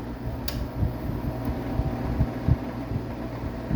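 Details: 1999 Whirlpool ACM052XH1 5,000 BTU window AC, R-22, about 23 years old, full charge, on medium cool: a steady fan hum with an even compressor drone. It runs normally, though the owner thinks the compressor is getting weak.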